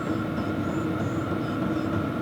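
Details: New Vevor diesel heater cranked back up to setting 6, about 400 degrees at the outlet tube: steady rushing roar with a constant mid-pitched tone, no surging or popping; burning normally at full output.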